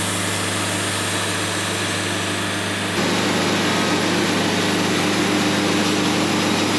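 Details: Sawmill bandsaw blade cutting a log: the steady drone jumps with a sharp zip when the blade hits embedded metal (a nail), then runs harsher and hissier because the blade's set is damaged.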